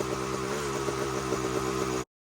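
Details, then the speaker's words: 2001 Kawasaki KX250 two-stroke after moving the carb needle clip up one position to #2 to lean it out: a steady idle with a slightly lumpy, burbling beat and no crisp crackle. It still sounds a touch rich and runs only slightly better; cause not confirmed. "um it seems like it definitely got a lot leaner and it seemed like it ran a little bit better the first time but not much"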